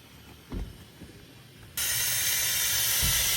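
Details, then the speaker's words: Mazda overheating under the hood: faint thumps then a sudden loud steady hiss, like pressurised coolant or steam escaping; owner unsure whether the main coolant hose is leaking; transmission also said to be failed. "All right, guys. Well, this is the end of the car, and this is what it's like when it's overheating, by the way. It's all making that noise."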